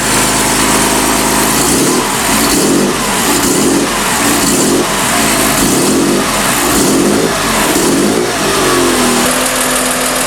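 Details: BMW E36 M3 Evo S50B32 engine on a test stand at operating temperature with 40 psi oil pressure, after windage tray tweak for a bottom-end knock; even rev blips about once a second, each falling back cleanly with no knock or miss.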